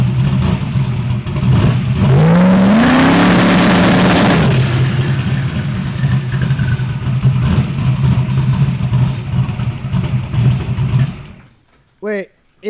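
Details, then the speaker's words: SBF with large turbo and 700 injectors, restarted after valve adjustment: sharp rev climbs and falls, then steady even idle with no knocking; sounds healthy. "it sounds healthy they had the chin at like 4 500."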